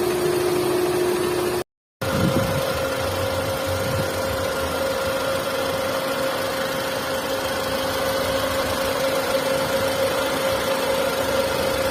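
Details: Hyundai Santro 1.1 L: steady engine hum carrying a persistent whine that steps up in pitch after a brief dropout. Abnormal engine noise, cause not yet found.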